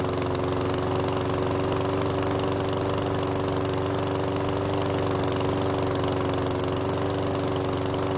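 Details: PowerSmart lawn mower that wouldn't start, after replacing old fuel with fresh: steady even single-cylinder drone, constant speed, no misses, knocks or surging; oil in muffler burned off; normal running.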